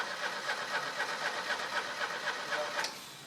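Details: Old Mercedes: the starter turns the engine over evenly, about four beats a second, for three seconds, but it never catches or fires. Cranks but does not start.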